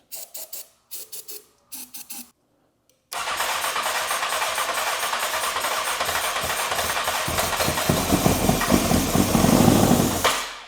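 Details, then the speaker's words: 2003 Honda CBR954RR, sat outside 15 years, running only on shots of starting fluid before a fuel tank is fitted: short cranking bursts, then fires and runs raggedly about seven seconds before dying. "It ran. It ran. All right. Sweet. That's awesome."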